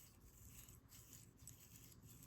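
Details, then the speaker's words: Altis Sigma bicycle rear-suspension rocker-arm linkage bearing turned by hand on its sleeve: dry, gritty rasp; the unsealed bearing, fitted only with plastic spacers, is dirty and rusty from water getting in. "They're both nasty sounding. And now if I pull it out, you can see it's dirty. It's rusty. That's because there are no seals for these bearings."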